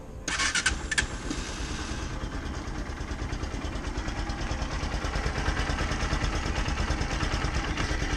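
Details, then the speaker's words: Bajaj Pulsar NS 160 motorcycle just started: cranks and catches, then idles with a busy mechanical clatter over the exhaust; owner unsure if normal, cause unknown. "se escucha recién está encendiendo la moto y quisiera preguntarles qué tal les parece el sonido si lo escuchan normal si lo escuchen igual que su moto"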